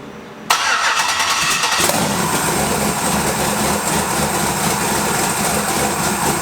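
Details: Twin-turbo LS V8 Malibu build, first start: cranks, catches within a second, flares, then settles to steady even V8 idle with no knocks or misses; smoke was residue burning off manifolds.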